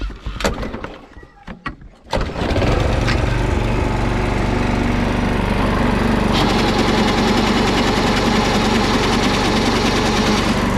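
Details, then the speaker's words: Toro Recycler Personal Pace self-propelled push mower with electric start (weak battery) starts with a few clicks and runs steadily with a rough edge; transmission pulley bushing worn, pulley rocking where belt connects, transmission shot; belt may pop off. "But this one is making some noise out of the um self-propelled the bushing on top where the belt connects to the pulley. The pulley is rocking back and forth. So that transmission is pretty well shot once that starts happening."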